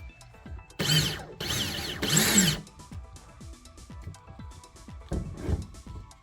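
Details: New Ridgid 18V SubCompact brushless 1/2-inch drill/driver (500 in-lb) free-running on a partly charged battery: short bursts of smooth high whirring spinning up and coasting down evenly, no grinding or rattle; normal running.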